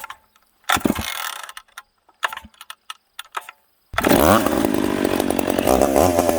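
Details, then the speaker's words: Piped McCulloch Pro Mac 850 two-stroke chainsaw cutting two-year-seasoned oak, tuned ragged-edge lean: a few stop-start bursts, then hard high-revving scream held steady in the cut, pulling about 10,300 rpm; strong and healthy. "gonna let it cool down that cut there uh 10-3 so this thing's pulling 10-3 in the cut that's fast for an old saw"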